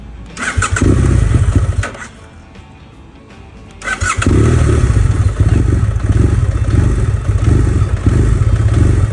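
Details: 2011 BMW GS800 (Rotax twin) with K&N filter, open exhaust and Power Commander 6, warm: fires and revs, then sags and dies within two seconds, then idles lumpily after restart; stalls at warm idle and downshifting, cause not confirmed.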